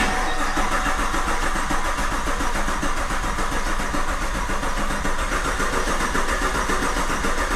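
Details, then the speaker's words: Old Camaro's 1000+ hp V8 swapped into the new Camaro, fuel unhooked, cranked briefly to spare the starter: even, steady starter churn turning the engine smoothly without firing; normal cranking. "do one more and then uh tomorrow we'll do a couple more. I don't want to stress the starter out."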